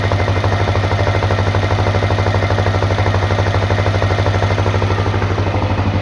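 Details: Honda CRF250L single-cylinder at idle: a very even ticking knock about three per second over the engine; cause not identified.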